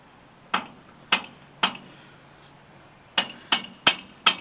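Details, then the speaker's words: Antique McCormick manure spreader wheel hub being turned by hand during a rebuild, with the other wheel stationary: sharp, unevenly spaced metallic clicks of the pawls skipping inside; normal ratchet freewheel action. "that clicking you here are those pawls skipping along inside there"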